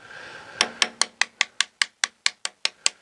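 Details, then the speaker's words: Catalina 380 (2000) sailboat after a hard grounding. About a dozen quick, evenly spaced taps on the cracked fiberglass over the lead keel joint ring dull and hollow rather than solid. Voids in the glass need opening up and inspecting. "But you can hear that. There's a void there. Some voids in there. So this is going to have to be opened up and inspected"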